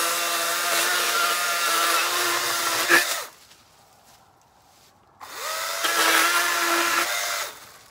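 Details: Battery-powered chainsaw cutting a dry, long-fallen dead limb: a steady high motor whine sags and roughens under load in the cut with little chip noise; the chain is dull and needs sharpening.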